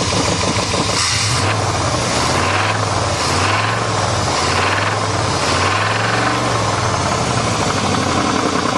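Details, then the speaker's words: 1988 Chevrolet truck V8 running on all eight cylinders, revved up and down: deep uneven knocking under the exhaust note as revs rise; owner says rod and crank knock, probably spun bearings. "this thing definitely has some rod knock and crank knock so this engine is [ __ ] it'll run for a while but it's probably already spun the bearings"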